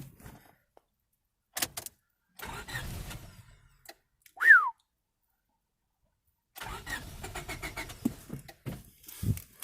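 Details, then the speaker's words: 1998 Honda Civic EX, D16Y8 five-speed manual, an auction car that had been parked, cranked with a booster pack: quick, even cranking in bursts with a few pops that never catches. Good compression and spark are reported; the no-start cause is unknown. "yeah it cranks much faster now so close [Laughter] yeah you can hear it too yeah that engine still has a lot of life in it it's got good compression"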